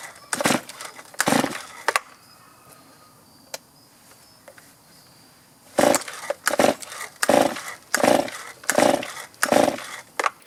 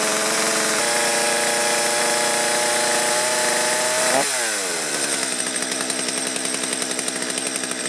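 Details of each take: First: Stihl chainsaw that starts fine cold but is hard to restart after running: revs in short bursts that die away about once a second, bogging and not holding revs; carburetor problem, idle adjustment to follow. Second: Stihl chainsaw, previously hard to start and bogging, after carburettor work set to factory settings and warmed up: it holds a clean high rev, then drops smoothly to a steady idle without stumbling; it runs properly now.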